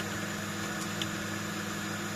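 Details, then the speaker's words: Flea-market desktop PC with Asus P5QL motherboard, 2 GB RAM, CPU at 31 degrees, booted: steady, even fan whir with constant low hum, no rattles or surges; running normally. "And as you can see, it's working very, very well. I'm so happy."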